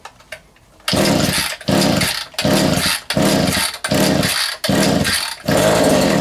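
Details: Vintage Echo two-stroke strimmer on its first run after reassembly: revs in ragged bursts about once a second, sagging and picking up unevenly. Owner thinks the carb needs adjustment; rough running from low compression.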